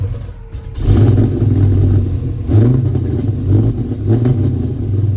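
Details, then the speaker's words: LS-swapped Monte Carlo with new Borla exhaust, started and revved a couple of times: deep V8 burble catches quickly, blips up, a bit lumpy and uneven; rough running, engine fouling spark plugs. "I don't want to go crazy because like I said, it's filing the plugs out, gang."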